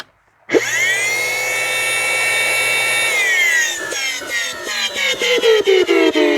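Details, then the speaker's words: Curb-found Dyson DC25 vacuum, motor running with the hose held onto the cuff to test suction: loud harsh grinding screech over the high motor whine, rough throughout, stuttering as it slows; badly worn motor bearing. "I think that's actually the worst bearing noise I've ever heard in my life"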